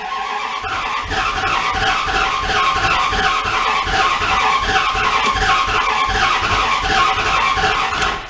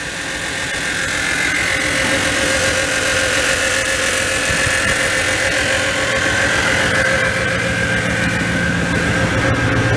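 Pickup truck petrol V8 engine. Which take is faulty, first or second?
first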